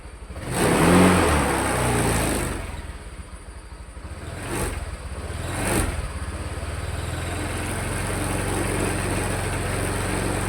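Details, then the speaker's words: Honda Vario 150 scooter after a connecting rod replacement (earlier fitted with an RVN Pro piston): the engine catches, blips up a couple of times, then settles to a steady even idle with no misfire or stumble; healthy. "gas-gasan aman. Enggak ada berebet, enggak ada ngempos. Jadi motor ini selesai ya sampai di sini."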